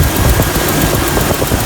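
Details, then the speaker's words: 1999 Jeep Cherokee 4.0 inline-six, cold start right after new Champion Copper Plus plugs, cap, rotor and wires at 60,000 miles: smooth, low, even idle with no misfire or ticking, sounds like the old plugs. "Sounds just like the old plugs. Can't even tell a difference. That's a cold start, so once it gets to normal operating temperature, I will"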